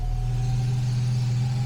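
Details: 1967 Jaguar Mark 2 started after fuel system cleaning, charger connected, showing charging at 13.4–13.5 V: steady, even low hum with no knocks, misses or surges; clean, healthy run.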